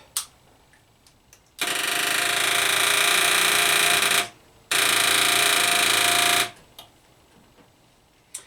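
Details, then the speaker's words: Yamaha Virago XV535 being revived, first start attempt on a cold wet day, running from a jerrycan tank bypass: at key-on a steady buzz of about 2.5 seconds, a pause, then a repeat; normal fuel pump priming, like a V-Max 1200. "was a petrol pump initiating pumping which is good by the way same noise you can get fro man from a v-max 1200"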